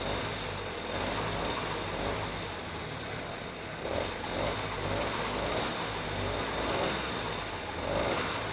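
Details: Vintage Huffy 2-stroke bike started by pedaling on a trainer: buzzy little engine starts quickly and holds a steady, even run with no knocking or misfire; sounds healthy, carb jetting possibly slightly off, no load.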